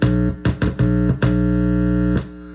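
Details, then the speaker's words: Sterling by MusicMan Ray 34 bass, stock preamp, through a practice amp: loud organ-like buzz in bursts whenever metal parts are touched, from a loose ground wire; grounding it to the jack's ground wire removed the hum. "Now, every time you would touch the metal, it'll make a funny noise."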